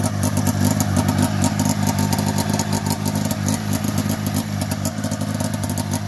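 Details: 1990 Polaris Indy 500 snowmobile, sat outside since 2005, after carb cleaning, new plugs, new gas, belt removed, holed header: fast crackly two-stroke beat holding a steady lively idle with strong firing; running normally.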